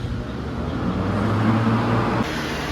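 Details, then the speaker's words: Vintage Hunter 7-blade fan, used most of the summer. Steady, even low hum with a soft rush of air and no ticks or rattles; runs smooth and quiet. "I've been using this right here U most of this all summer really it's really running great"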